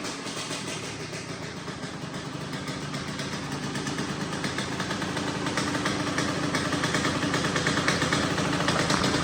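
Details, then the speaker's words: 2004 Kawasaki KX85 two-stroke, stock bore, freshly rebuilt top end, started on the second kick, smoking; crisp burble that picks up and rises smoothly when revved, no knocking or misfire. Normal idle and revving. "Way better. Getting so much healthier now."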